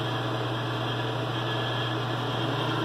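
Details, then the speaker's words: Mr Heater Big Maxx heater after the thermostat calls for heat: smooth constant low hum with soft airy rush from the exhaust inducer fan, no rubbing or rattling; running normally before ignition. "Thermostat just called for heat. Heat on. You can hear the fan going."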